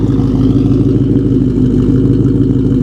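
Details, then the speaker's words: Carbureted car, cold start after sitting at least 24 hours, gas pedal pumped a couple of times: steady, even idle with a firm mid-pitched burble and no misses, idling on its own. The idle is normal. "It's idling on its own, right? Not a problem. Listen to that."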